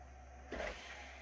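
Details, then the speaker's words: Server booting with new PCI SATA RAID controller and SSD: short quarter-second whirring clatter over fan hum as optical drive spins up and ejects its tray at power-on; cause unknown. "The optical drive made a funny noise."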